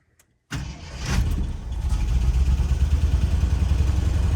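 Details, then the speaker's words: 1975 Jeep Wagoneer V8, sat nearly a decade, just fired up to test the transmission: rough, uneven idle with a stumbling beat, still not hitting on all cylinders. "Still not hitting on all the cylinders."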